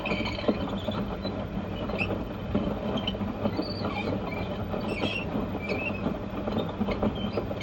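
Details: LG F1222TD washing machine with a failed bearing seal leaking water into the stator motor: rough rolling rumble with scraping squeaks and clicks as the drum turns; worn drum bearings, new ones to be ordered.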